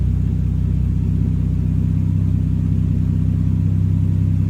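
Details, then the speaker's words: Toyota VVTi 2JZ-GTE after throttle delete conversion kit installed: steady low idle with even firing, no knocks or misses, revs picking up while left idling five minutes toward target 650-700 rpm; healthy idle, TPS position judged by settled revs. "I'm going to leave it for 5 minutes, let it idle. It might learn itself and pick up. See, revs are picking up already."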